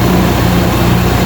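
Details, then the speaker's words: Ford Capri back after 10 months off the road, just started after topping oil to maximum on the dipstick: smooth, even low idle, much quieter, no ticking, no exhaust leak; normal idle. "That sounds so much quieter, not ticky or anything."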